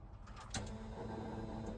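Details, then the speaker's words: 1991 Mustang 5.0 LX with a Vortech V-1 supercharger and a high-mileage stock shortblock: a click, then a steady ~220 Hz hum under engine noise; fuel filter is new, and the owner suspects a failing fuel pump whine. "you hear that doesn't sound awesome so we got a new uh fuel filter but I think our pump is a problem"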